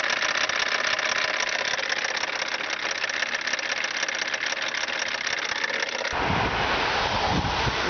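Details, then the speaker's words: BMW 325 tds E36 diesel idling with a regular clanking knock, about three a second, from a loose power steering pump pulley; bolts found loose, retightened with threadlocker. "В общем, что я заметил. Был откручен действительно шкив. Пара винтов вообще легко открутились."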